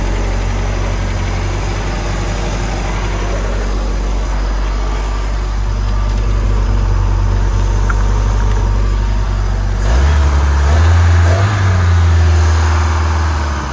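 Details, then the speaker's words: Stingray boat MerCruiser engine after tune-up, with rocker arms preset and throttle/gear cable adjusted: deep, steady idle with even low rumble and no misses or knocks, then a brief smooth rev; sounds healthy. "should be good to go got that plastic Shield hidden on the flywheel area but other than that she sounds good"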